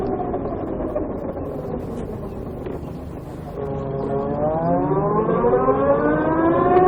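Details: VX1 warmed up, riding under load at lower speed after a hill: thin chirping whine rising steadily in pitch with road speed. Suspected transmission chirp, louder once warm, starting around 30 mph. Cause unknown.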